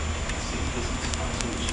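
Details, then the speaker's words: 1970 Chevrolet Corvette engine: uneven light tapping over a low rumble from a very loose timing chain slapping the timing cover; fix is a new chain and gears. "causing it to slap against the timing cover"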